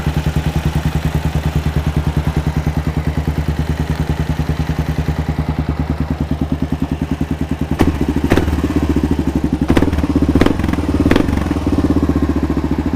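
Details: Kawasaki KLR650 after a rebuild, first run, still smoking a little and with the cooling fan kicking on; a steady, even big-single thump with no misses or knocks, a normal idle.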